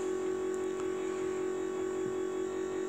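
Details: Key-on, engine off, on an International T440E-engined school bus (skoolie): steady mid-pitched electric motor hum from the electric brake motor, which shuts off once the engine runs; completely normal.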